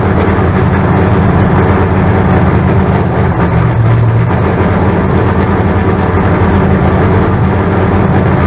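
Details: Freshly built 388 small-block Chevy V8 break-in. Steady, deep, even rumble at constant speed with no knocks or ticks; about 80 psi oil pressure, running cleanly.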